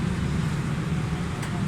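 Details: 2002 Suzuki Baleno after engine tuning and oil change, previously noisy with loud tappet noise: low, even idle rumble with no obvious tappet ticking; engine sounds settled and healthy.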